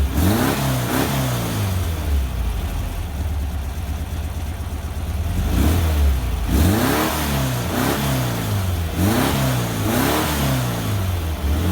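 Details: Rebuilt air-cooled VW Vanagon Type 4 engine with solid thicker cam and Porsche swivel-foot adjusters, warming up: repeated throttle sweeps rise smoothly and settle to even idle, no tapping or rattle; normal revving.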